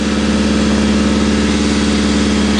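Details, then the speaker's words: 1980 Triumph Spitfire 1500 with Weber two-barrel, freezing-cold engine just started: steady, even, high fast idle without dropping or hunting; normal cold fast idle. "you just love the incredibly high idle it's always really good for a freezing cold motor"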